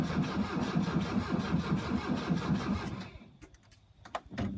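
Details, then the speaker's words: Slow, laboured cranking on a 1982 VW Vanagon Westfalia fitted with a new battery, glow plugs and starter: about 2.5 turns per second for three seconds, no firing. Battery still sounds weak; jump from a pickup planned. Cause suspected. "all right so right now it's turning over but it sounds like the battery's still weak"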